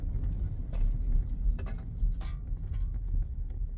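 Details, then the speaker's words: Vehicle test-driven after brake work to stop a squeal: low cabin rumble with loose rattles from a ladder in the back and no brake squeak while stopping or rolling; brakes quiet. "I think we're okay it's pretty quiet it's pretty quiet with the exception of like maybe my ladder making noise back here but I mean that's what you have to listen for right every time you stop you gotta listen for that any kind of squeak even while you're rolling too"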